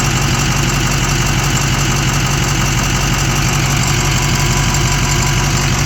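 Loud steady idle with a faint regular tick, roughly three a second, riding over the engine note; source not pinned down.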